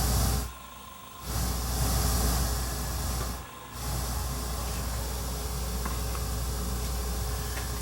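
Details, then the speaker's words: Sony TC-854-4 four-channel quadraphonic reel-to-reel, amplifier boards already recapped by owner, no playback from head: constant loud hiss from playback amps, left channel dead, output drops as outputs switch; excessive amplifier hiss, suspected bad head connector or head. "I'm not getting anything from the left so somewhere between here and here plus that's really noisy like we shouldn't have that kind of noise"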